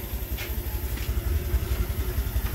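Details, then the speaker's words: Engine idling after replacing the tensioner, filter box not yet refitted, idle slightly raised: even low thumping with no ticking or rattle; the previous tak-tak noise is gone, quiet normal idle. "Pinaandar na natin, so wala na siyang kaingay. Wala na yung tak na wala siya."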